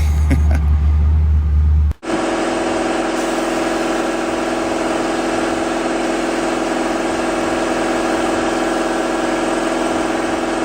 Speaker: You hear that whining sound? The engine had a gear drive and cam instead of a normal timing chain set. That engine was such a dud.